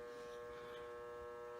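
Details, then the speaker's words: 1973 Williams Gulfstream electromechanical pinball machine, powered up during restoration. A steady electrical buzz comes from a relay coil in the coin door and stops when the coil is pushed in. The relay coil is buzzing. "so you can probably hear a relay buzzing in the background and that's on the lower cabinet or the coin door"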